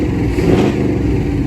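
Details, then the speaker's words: Corvette C5 coupe V8, a former non-runner, just after first start post-repair, initial misfire smoothed out: deep, even burble under a light rev with no stumbles or skipped beats; running clean. "God it does sound good God it's running"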